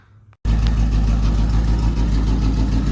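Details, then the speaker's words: 1991 Mustang GT V8 after injector rebuild and intake reinstall, dead cylinders: engine fires then settles into a deep, uneven, stumbling idle; one cylinder still not making power. "that cylinder is still not making power that one's not great"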